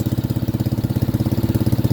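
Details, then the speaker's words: Dirt bike that only clicked due to a bound starter chain, after freeing the chain; starts right up with an even single-cylinder thump about fourteen beats a second, no knocks or misses; normal idle. "All right. Now, we're going to start her up. Starts right up. Boom. Fixed."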